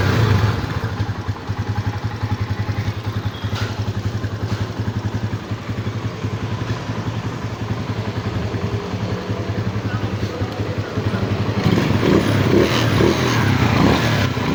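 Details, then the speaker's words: Microbike EXT motorcycle at idle after a tune-up, engine now very quiet: soft, even idle pulsing with no valve ticking or clatter. The earlier loud noise came from loose tappets, fixed by adjusting the tappets instead of an engine teardown. "So yun mga boss amo, napakatahimik na ng makina. Kala mo din na umaandar."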